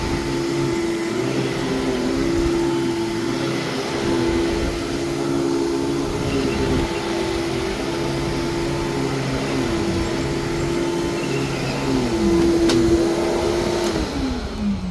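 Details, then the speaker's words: Vacuum cleaner run with attachments, no brush roll: steady mid-pitched motor hum, no rattle or scraping, winding down smoothly at switch-off; quiet normal run. "that was nice and quiet and when the base plate isn't beat to crap it does work really well"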